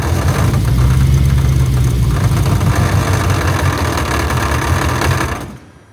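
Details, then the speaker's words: Supercharged Lexus ISF first start: rough, lumpy idle with uneven knock three or four times a second until shutdown; supercharger belt tensioner pulley rubbing the outlet S pipe, belt possibly too tight. "Something's rubbing. Turn it off. I found the problem, guys. The tensioner pulley is hitting the downpipe, the outlet pipe."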